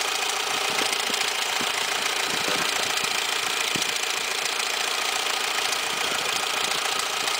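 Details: 2002 Peugeot 206 1.0 16v at idle after starting: rapid light ticking and slapping, three or four per second, from the engine's right side, intermittent and fading after driving. Mechanic found the alternator belt with no tension, nearly off the tensioner; replacing the set fixed it.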